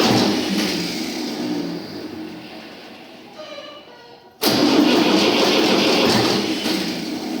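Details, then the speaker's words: Tractor diesel, first start after engine rebuild: weak drawn-out cranking, then it suddenly catches and runs loud and steady; slow start until diesel primed through the lines, starter also needs repair. "ну понятне діло що поки там солярка прокачалася"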